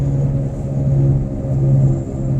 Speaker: have to get that done and whatever is causing either this whirring or whatever i will definitely be in a position to where i'm going to want to drive this thing